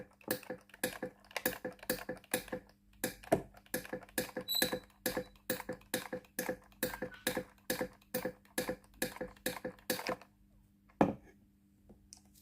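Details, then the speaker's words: Philips GC8350 steam iron, switched on and warmed about 3 minutes: sharp dry clicks of the water valve, about two a second, each time the steam button is pressed, but no steam comes out; the boiler heater element is open. "กดปุ่มจ่ายน้ำเทสระบบไอน้ำมียินเสียงวาล์วน้ำทำงานดังต๊อกๆเวลากดสวิทย์จ่ายน้ำแต่ไม่มีไอน้ำออกมาที่หน้าเตา"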